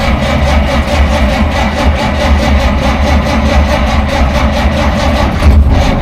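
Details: 1947 Dodge, carburettor engine reluctant to start after fuel supply problems; choke linkage faulty with butterfly sticking: low uneven chugging that keeps turning over but never catches cleanly; flooding from punctured carburettor float.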